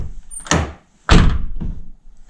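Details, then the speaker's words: 2009 Nissan R35 GTR driver door, before repair: two solid thuds each followed by a short buzzy rattle from the lock area; loose block/cover inside slapping the door skin, suspected security plate. "And the issue here is the rattle when the door is closed. It seems to be coming from the lock area."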